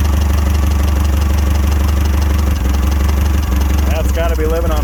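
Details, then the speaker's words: Clark C500Y45 forklift, Waukesha D176G engine idling on propane after starting-fluid start: low, steady, even idle without stumbling or hunting; a little blow-by and smoke, owner says it still needs a tune-up and new cap and rotor. Normal running. "sounds too bad it's got a little bit of blow-by coming out of it"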